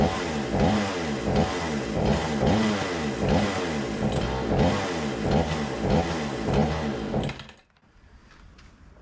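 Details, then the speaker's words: Remington 46cc chainsaw, sat since last season, smoky, choke arm seemingly not working: revs surge and sag in uneven bursts about once or twice a second before dying, starving for fuel; carburettor to be cleaned; lean running, fuel starvation. "I get starving for fuel well what do you say get this back on the bench we'll take this apart check that carburetor and try to get that cleaned up"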